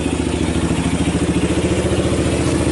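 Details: 1990 Kawasaki Bayou 220 ATV single-cylinder after cold start, carb replaced, good compression; even thumping at roughly ten beats a second, no stumbles or knocks, a little smoke, battery charging. Normal idle.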